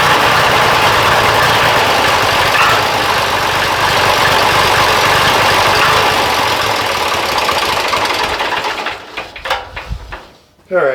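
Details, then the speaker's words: Diesel after an injection pump timing check and adjustment, with injectors bled; loud, rough idle with a dull, regular knock-like sound, not a true knock, before winding down. Throttle response also seems weak; cause unclear. "you can kind of hear it like got it's almost like a knock almost right um it's not knock but that's the best thing I can use to describe it"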